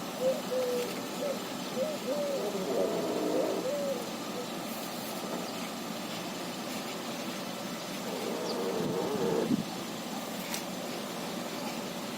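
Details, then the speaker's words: 2011 Hyundai Avante MD, 222,000 km; high wavering squeaks as steering wheel is turned lock to lock over a quiet engine. Suspension creak when steering, cause unknown; ball joints not confirmed. "значит такая проблема пробег уже 222 тысячи километров при повороте руля до упора в одну сторону в другую сторону были слышны и такие скрип"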